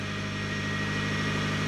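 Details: 1997 Honda Civic Coupe EX just started: smooth, even idle pulse with a faint steady accessory tone above it, no stumbles or knocks; engine idling fine.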